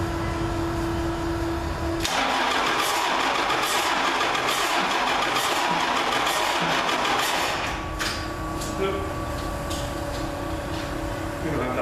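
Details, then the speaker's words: 1942 Chevy truck with a Cummins diesel cranking steadily at about four turns a second without catching. It cranks with air in the fuel. Owner hears a lack of compression and suspects a valve stuck open after the motor sat too long. "but it definitely uh sounds like it's got a valve stuck open or something motor sat too long because i can hear a lack of compression when it turns over so that's not good"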